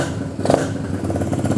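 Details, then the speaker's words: XR150 clone single-cylinder bike on its first start after carb work, with the battery briefly charged. It starts right up and gives a crisp, even beat that picks up cleanly on blips and settles without stumbling, confirming the problem was the carb. "Wow, that started right up. So clearly a carb issue."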